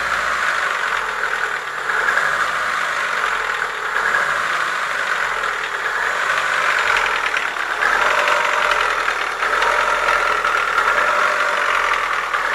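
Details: Chevrolet Lacetti 1.6 petrol engine revving then settling, rattly metallic knocking following the revs: worn piston knock, cured by boring the block and replacing the piston group.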